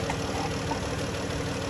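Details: 2011 Dodge Journey 3.6 V6 after lifter and rocker replacement, shortly after start-up: smooth, even idle hum with no tapping rhythm and a quiet valvetrain; the earlier tick is gone and the engine runs normally.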